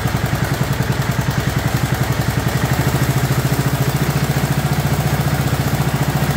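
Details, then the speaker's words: Warm 2004 Murray lawn tractor, 12.5 HP Briggs & Stratton overhead-valve single-cylinder, idling after sticky choke linkage was cleaned (it had been flooding) and the carburetor adjusted; steady even thump about 3.5 beats a second, running clean and healthy. "got the carburetor adjusted I just want you to hear it running properly instead of running all choked out so we started it's all warm"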